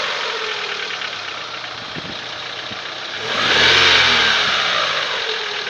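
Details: Daewoo Lanos 1.6 engine idling, revving and settling back, with a light tapping knock running through it: the engine knock's source is unclear.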